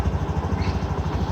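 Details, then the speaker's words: Mondial Fury 110i scooter single-cylinder, after exhaust assembly work: previously putt-putt exhaust noise, now steady even low idle putter with no popping or chuffing; runs smoothly, normal idle after repair. "Aynen şu an sesi güzeldi bayağı önceden Pırpır ses yapıyor egzozda şu an güzelmiş biraz kısası motor yine biraz daha sıkacağım ufaktan rölantide çalışsın"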